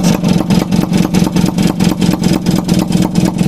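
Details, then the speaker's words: Kawasaki HDIII after overhaul, crankshaft previously broken, never rebuilt in 21 years: even, slightly lumpy thump at a low steady idle with no knocking or misses; running quietly, only slight noise from the piston rings. "Tahimik na, pare. Tahimik na. Hindi kaya dati. Ayos na."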